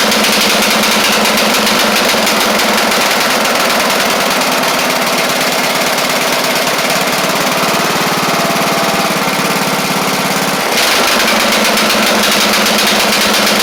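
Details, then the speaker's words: Craftsman LT1000 lawn tractor with Briggs Intek engine, first run after head work; runs okay low but at high speed has a lumpy, blubbering beat, sounding really rich. Owner suspects a bad carb or mixture screw set too far out. "I don't really like the way that uh that carb is we all heard it it ran okay until you got it up to the higher speeds and then it sound like it was running rich really rich"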